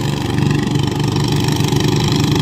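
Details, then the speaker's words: Bird-brand (Nok) 141 engine running with 45/8 sprockets and size-78 belt: steady low drone with faint even gear hum, no jerking or knocking; gear whine is normal for this engine, not a fault. "แต่พี่บอกนะครับเฟืองหอนครับเฟืองหอนไม่ต้องกลัวครับปล่อยมันเลยเสร็จอาการปกติของมันอยู่แล้วครับ"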